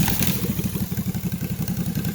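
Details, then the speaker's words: Freshly rebuilt 20 hp Honda GX620 twin for a Toro Workmaster cart, with new rings, seals and gaskets, run on the bench with no muffler: loud, lumpy open-pipe idle with even pulses; running normally. "don't have any muffler on here but that's what it sounds like"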